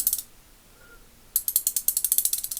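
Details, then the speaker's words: Ace Hardware Professional 3/8-inch drive ratchet, torn down, with heavily worn, flattened gear teeth and a damaged pawl, likely from excessive torque. It gives a quick run of uneven, smeared, sliding ticks instead of crisp clicks: ratchet skipping. "You hear it's clicking good, and then it's clicking good. Right there. It's like fumbling. Right there, fumbling."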